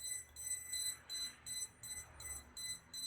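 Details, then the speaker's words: Agricultural drone with DJI flight controller, ESC calibration in Assistant 2 after reconnecting the ESC power; high beeps in short bursts, about three per second, never stop, so calibration doesn't complete; only some motors calibrate, cause unknown. "자 이 상태에서 p 소리가 멈추면 이 캘리브레이션 이 완료가 된건데 제가 지금 시점에서 몇번 해봤는데 계속 이끼 소리가 멈추지 않더라구요 자 원래는 멈춘 다음에 완료를 이렇게 눌러 주시면 되는데 지금은 삐삐 소리가 계속 납니다"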